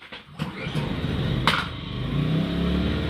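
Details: Adventure Kings 2KVA pure sine wave inverter generator, started with all loads unplugged: quick rasp of the pull, then engine catches and climbs to a steady smooth no-load run; clean healthy start.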